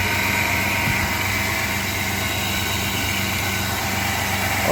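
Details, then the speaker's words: 1997 Chevy S10 that shook at start (codes P0102/P0103), after mass air flow sensor fix, started cold: fairly even idle with low steady hum, slight shake attributed to cold, no misfire stumble. "yes nice now it's nice and sturdy a little bit shaken it's probably because it's cold but oh it's starting right up"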